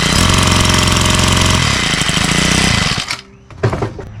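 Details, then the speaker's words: Troy-Bilt four-stroke string trimmer with non-adjustable carburetor, owner reports it won't rev; loud ragged running that never climbs in speed, dies after three seconds; starving for fuel. "Okay. So, it's definitely starving for fuel. So, if there was an adjustment on this, I would certainly make the adjustment."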